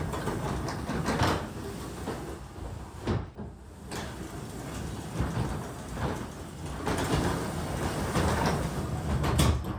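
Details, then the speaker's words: Garage door from 2005 after greasing all the moving parts: soft even rumble and light rolling clatter, no screech or grinding; normal quiet operation. "as you can see I just greased all the moving parts of the garage door and after I move it up and down once or twice just listen to how quiet it gets"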